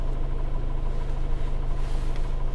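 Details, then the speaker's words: Toyota Avensis 2007 2.0 petrol automatic, 225,000 km, after throttle body cleaning, warm idle with gear engaged: deep even thrum, rpm dips only slightly from about 800-830 to 760-775; healthy idle under load. "так а включение передача ой просадка незначительная 760 775 Ну 760"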